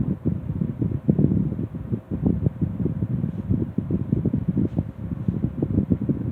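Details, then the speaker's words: 1960s Phoenix 16-inch box fan, motor just cleaned and serviced, original switch replaced with toggle, running on low speed: soft steady whir with gentle flutter, no rattles; normal running. "Fan is still running like it should. This has been in excessive use, so it's still running like a diamond."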